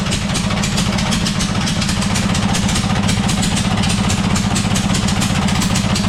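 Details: Murray 42-inch riding mower, 18.5hp Briggs & Stratton PowerBuilt OHV single-cylinder, new RC12YC plug fitted, started with choke: ragged stumbling idle with loose firing rhythm; runs very poorly, as if choke stuck but it isn't; owner believes it's flooding.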